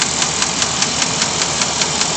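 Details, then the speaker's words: Chevy 454 V8 idling: sharp even tick about five times a second over a steady hissy idle, source hard to locate, owner suspects lifters; engine ticking. "Okay, here's the ticking noise. You hear that? It's truly hard to tell exactly where it's coming"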